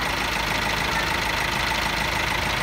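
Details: Diesel car idling after a jump start from a motorcycle using 2.5 mm jumper cables, car battery about 70 Ah: steady, even diesel clatter with no misses or hunting; the engine runs fine.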